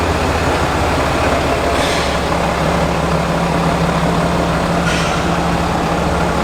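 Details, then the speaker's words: Ram HD Cummins diesel startup and idle after engine replacement (previous one threw a connecting rod through the block at 4000 miles); new zero-mile engine idles steady and smooth with no knocks or ticks. "hopefully i can get a startup for you guys real quick so you guys can listen to it and here's a cool startup brand new comments"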